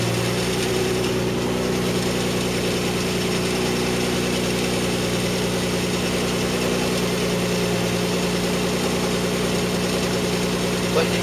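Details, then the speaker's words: 1993 Mazda MX-3 1.8 V6, mostly stock with aftermarket exhaust, hood open at idle: quick uneven light clacking rattle over the engine note, louder as it warms; replaced bearing did not cure it, source unknown. "noise that noise is kind of like a clacking R Ling down um once out I'll leave it for a minute we going to get warm it gets louder as it gets warmer"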